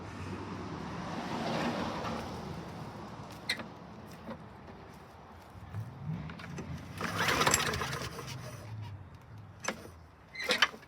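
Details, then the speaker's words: 2008 Troy-Bilt XP self-propelled mower, 124T05 engine, missing carburetor and air-filter backing plate replaced with new parts: several short rattly pull-start spins that never fire. It won't start because the carburetor wasn't primed; the primer then gushes fuel properly. "Forgot to prime it."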